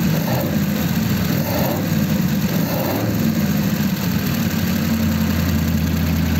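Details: 1933 5-window coupe, worn "crusty" flathead V8 started after nearly 3 years parked, idling in a closed garage through dual pipes with very short mufflers: deep, even burble at steady idle with no ticks, misses or hunting; normal healthy idle.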